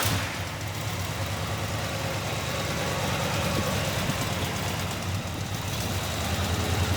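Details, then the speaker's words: 1967 Pontiac GTO, freshly built 1967-date-code 428 V8, 376 HP, 4-speed manual, new MagnaFlow exhaust, fired up: deep steady even V8 burble, no knocks or ticks. Normal idle. "Here's the 428, 376 horsepower, the 67 date code correct motor. We're going to fire it up right now."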